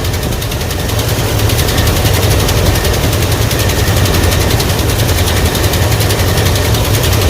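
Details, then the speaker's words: 1984 Ford F-150 V8 with the vacuum gauge reading normal while the carburetor air-fuel mixture screw is bottomed out: a rough idle with sharp, uneven pops about three to four a second over a low rumble, starved by the closed mixture screw. "see if i could tweak the uh air fuel needles see we get some action there [Music] i really don't like that damn sound"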